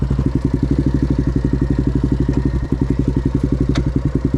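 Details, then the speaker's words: Yamaha Grizzly 660 ATV breaking down on the trail: steady clicking about four times a second with a hollow clunk and shudder while it is pushed, wheels locking up; owner suspects the differential. "Something's definitely going on here, guys. You hear that? You hear that clicking? What is that? What is that noise? Is that diff?"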